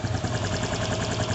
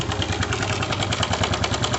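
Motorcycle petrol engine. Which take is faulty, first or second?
second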